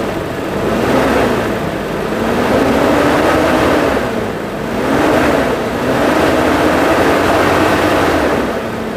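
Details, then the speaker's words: 2000 Toyota Kijang Krista 1.8 EFI, warm after oil change, throttle pulled by hand at engine bay: revs swell and drop back smoothly several times, clean pickup, no knocks or rattles; healthy free revving. "gimana kalau kita dengarkan sedikit akselerasinya ini caranya dari sini aja tinggal di tarik sedikit aja ya"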